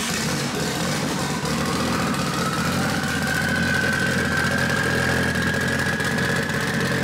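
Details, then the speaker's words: Mitsubishi Evo 8 4G63T turbo engine, freshly rebuilt, after the throttle body was adjusted (an air leak had been suspected). A steady, even idle with a smooth low hum and no hiss or hunting. Normal idle. "And we thought we had an air leak somewhere, but ended up just needing to adjust the throttle body. So we are good. It sounds pretty good."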